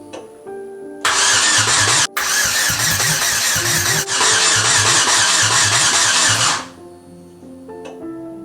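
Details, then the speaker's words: Ecotec-swapped Mazda Miata, first start attempt after new PTFE fuel lines, EVAP relocation, intake manifold, PCV and catch can, fuel pump priming heard, open headers: about five seconds of loud raspy cranking that never catches or speeds up; cranks but won't fire. "Now this is the point in the story where all the hard work, long hours, and money spent was supposed to pay off with a loud vroom, a billow of smoke, and high fives all around. But instead, this took a turn into disappointment and frustration."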